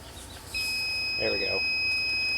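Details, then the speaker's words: Tormach PCNC440 tool changer low-pressure switch after set point readjustment: steady multimeter continuity beep starts suddenly and holds, switch closing on low pressure at about 85 psi after opening near 90–95 psi; final set point accepted. "so that actuated at about 85 PSI so I like that set point"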